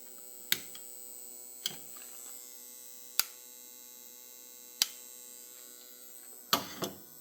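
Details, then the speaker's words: Vintage Tripp Lite PowerVerter PV 550 DC-to-AC inverter that works but makes a constant loud electrical buzz at one pitch, with a few handling clicks over it. "seems to work fine but there is a I would call it a loud buzzing noise yeah I'm not going to say it's a light buzzing noise"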